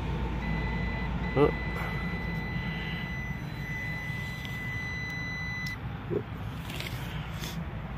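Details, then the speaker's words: 15-year-old Carrier package unit, compressor after contactor stuck closed and breaker tripped: steady continuity beep for about five seconds with meter to ground; compressor grounded on one terminal, believed to be run, windings open to one another. "we're definitely definitely grounded on this terminal unfortunately which I believe is run"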